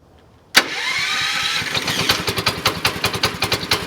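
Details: Small single-cylinder engine, replacement motor, electronic ignition, electric start, glass-bowl fuel filter, possibly 7 hp; fires instantly, then settles into even putt about two and a half beats a second while warming up; healthy warm-up idle.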